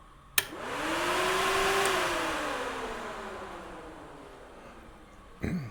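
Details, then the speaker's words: Hydraulic Power Plus hydraulic power pack, daily precheck: a click at the fan switch, then a steady airy whoosh rises and holds evenly before easing off; the cooling fan, which should run when above freezing, running normally. "Make sure the fan is running if you're above freezing temperature. Fan switches right here. So make sure that is always running."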